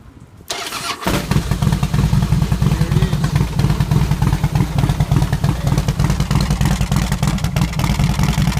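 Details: Harley-Davidson Softail that would not start (no fuel pump, lights or ignition power) due to a corroded ignition switch contact; after the switch repair the pump primes and the engine fires, settling into a loping, uneven V-twin idle with no misses.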